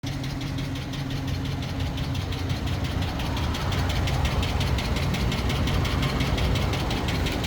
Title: Hemi ticking or exhaust manifold? No check engine, no misfire, ONLY MAKES NOISE WHEN HOT.